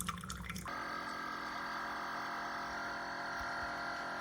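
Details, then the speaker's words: Chefman single-serve K-Cup/ground drip coffee maker near the end of brewing: after a brief splash, a steady droning buzz with a whiny edge; an unusual pump noise, cause unclear, water not boiling hot. "That is a weird noise. Do you hear it? Okay, I'm not used to that."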